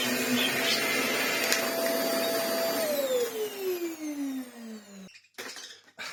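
A steady, smooth motor whine with no brush rattle or thump, then an even wind-down at switch-off; the vacuum sounds healthy.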